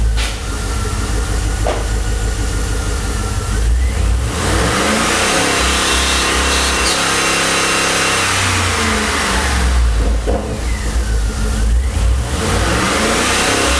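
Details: 2009 Pontiac G8 GT with Cortex, Rotofab intake and Solo Mach Shorty cat-back exhaust, revving: revs rise and fall with a brief squeak or stumble coming and going; squeak or misfire source still being troubleshot.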